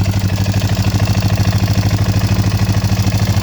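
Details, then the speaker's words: Kawasaki Bayou 220 or Yamaha Bear Tracker 250 ATV that sat 10 years, just after an oil change. Steady single-cylinder idle with a light, regular tapping on every beat, no smoke. Valves suspected to need adjustment; stalls when revved. "Got a little bit of rappy tappy on this thing. Sounds like the valves need adjusted."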